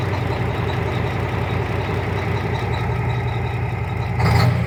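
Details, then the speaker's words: Cummins ISX 870 diesel truck during injector replacement, found running on five injectors with two nearly worn out; heavy lumpy idle with a cylinder dropping out now and then, engine misfire. "Still sounds like she has a miss."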